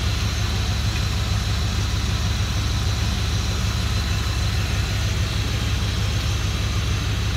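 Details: 2003 Dodge Ram 1500 5.7L Hemi 4x4 fired up after a radiator replacement at about 20°F to check for leaks; smooth, even V8 idle with a steady low rumble and no ticks, knocks or misses, normal idle.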